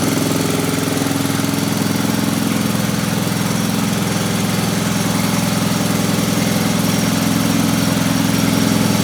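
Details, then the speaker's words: Old Briggs & Stratton single-cylinder generator, back running after sitting a few years, with carburetor and points repaired. It holds a steady, even beat at constant speed with no misses or knocks, running smooth and healthy. "But it runs great, and I'm gonna fire it up and I'll let y'all hear it run for a second."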